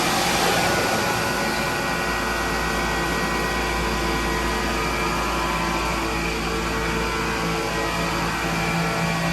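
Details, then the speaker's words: MEI hydraulic elevator machine room, pump motor running the car up: steady motor-pump whine turning rough and grinding under lift as the pump sucks air because the tank oil is below the minimum level; low hydraulic oil. "Because at the end you could hear that grinding sound. That's because it was sucking in air instead of oil because the oil tank level got too low."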